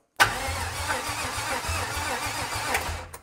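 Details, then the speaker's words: 1955 Buick Special with an unknown engine installed, timing set by eye, before a jump pack is added: starter churns slowly and unevenly and the engine won't fire. "Got the jump pack? Definitely, but... All right, we need a little more juice."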